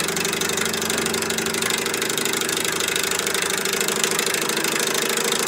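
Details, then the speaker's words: Candle-heated walking-beam Stirling engine at about 800 rpm driving a 3D-printed gearbox: a fast, busy clatter over steady running from loose bearings on the vertical rod. "now all this noise i have bearings on this vertical rod that are loose um one of the things about the sterling engine was the whisper quiet this one's quite loud noise is inefficiency"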